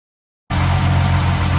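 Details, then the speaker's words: Mercedes-Benz 300SE during gear shift repairs, engine started after the fuel feed pump was checked at 1 litre in 15 seconds: it catches and settles at once into a steady, even low drone with no knocks, misses or rattles; sounds healthy. "That's the engine itself, you can hear running away there."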